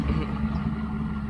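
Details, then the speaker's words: 1993 Mercedes 600SEC V12 with straight pipes, long-sitting, just revived: deep idle swelling and sagging unevenly with ragged beat; engine started surging and missing at idle, cause unknown. "now the engine started surging but i can't even run the engine but oh yeah surgeon now it's started to search yeah it started to like sort of search miss yeah totally something is wrong now"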